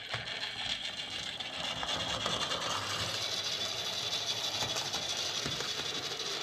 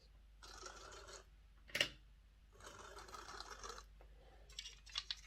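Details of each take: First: Lima Class J50 model locomotive after CD motor conversion and extra pickups: light, fast whir with soft clicking about three a second from the track, running smoothly; an odd noise was cured by refitting small washers on the correct side of the motor plate. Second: Lima Class J50 model locomotive after fitting a CD motor conversion kit: harsh, scratchy rasping in bursts while the motor runs, as the motor seems to sit too far in and the pinion gear rubs the bearing.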